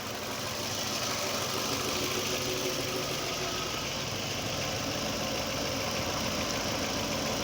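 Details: 2009 Toyota Camry with P0300/P0302/P0303 and a non-working fuel gauge; fuel pressure measured about 46 psi. The petrol engine idles unevenly and hunts with an irregular low pulse from misfires on cylinders 2 and 3.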